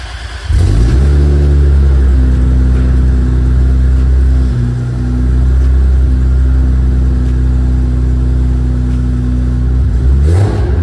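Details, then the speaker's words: Big-turbo Supra on ECU Master Black Series, drive-by-wire, fuel tables dialed in with air-fuel ratio sensor, first start-up before first drive: deep steady note swelling and dropping cleanly with each throttle blip; normal, responsive revving. "go fuel tables are all dialed in now with that air fuel ratio sensor reading running good super responsive with that drive by wire it's like super responsive it feels so good"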